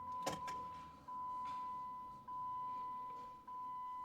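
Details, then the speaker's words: Jeep Commander 5.7L Hemi V8, after fuel line reinstalled during VVT solenoid replacement: key-on, engine not started, thin steady whine as fuel pump primes, builds pressure and stops; no leak, pump healthy. "So as you guys just heard, the fuel pump shut off. Now let me go ahead and do that one more time. And as you guys can hear, it's actually priming, it's building pressure, and then it stops, so it's not leaking."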